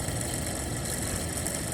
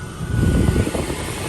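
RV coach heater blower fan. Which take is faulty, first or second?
first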